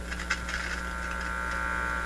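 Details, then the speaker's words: Heathkit IT-12 signal tracer on the bench: steady low buzz at mains frequency with faint crackles as the ungrounded probe is held near; the probe is just picking up mains hum, which disappears when grounded, unit fine. "so now that hum can be just from the pro bleed i don't want to touch i just want to get close to it so you see the probe is just picking up a hum out here"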